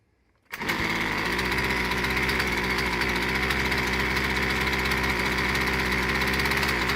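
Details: Husqvarna 124c/125/128-series string trimmer, first start after piston replacement with both carburetor screws set 1.5 turns out: starts at once into a steady, even high-pitched idle buzz with no surging or stumbling.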